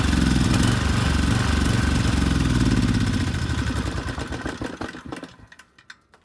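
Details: Rebuilt 10HP Briggs and Stratton Storm Responder generator engine (model 21T212-0116-G1), after a knock from an out-of-spec crankshaft, compression 60 psi, run outside at 2800 rpm: strong even pull, smooth wind-down at shutoff; running well.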